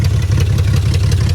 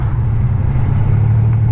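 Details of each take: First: $200 salvage BMW 325xi E46, all-wheel drive, with no cats: a loud, deep, uneven rumble with ragged pulses at idle, running rough with a raw fuel smell; the cause is not determined. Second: $200 salvage-auction BMW 325xi E46 all-wheel drive, driving down the road: deep, steady exhaust rumble with no misses, knocks or surges while cruising; engine running smoothly, normal.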